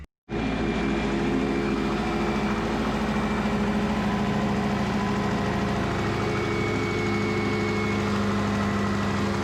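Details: Twin-turbo Subaru Forester build started after lines were secured, checking pressure and leaks under constant pressure: steady, even idle with a smooth low hum and no misses, ticks or knocks; idling normally.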